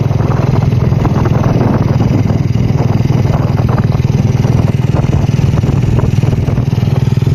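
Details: Honda Revo Absolute idling after its rocker arms were replaced: a steady, even low thump at about four beats a second with no tapping; now smooth, only carburetor sound heard; normal idle.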